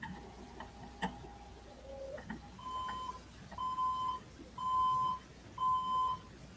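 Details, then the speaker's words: A desktop computer at power-on fails to boot and instead gives a repeating pattern of steady mid-pitched BIOS/POST beeps; the beeps should be counted to look up the error code. "That's a beep. That beep's coming. You got to get into the BIOS. That's a BIOS beep."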